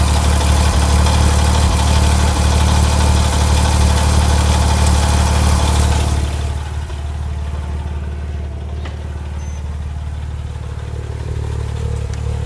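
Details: Porsche 997 Turbo Mk1, oil warm, idling: steady quick light tick about four per second over a deep hum, heard only warm; cause unclear. Engine ticking at idle.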